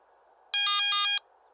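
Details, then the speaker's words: Garrett ATX metal detector with about 30 minutes of battery left; brief shrill pulsed electronic alarm repeating every 60 seconds alongside the flashing yellow light; low battery warning beep. "during operation the yellow low battery warning light will begin flashing when there's approximately 30 minutes of battery life remaining in addition to the flashing LED a brief audio alarm will sound every 60"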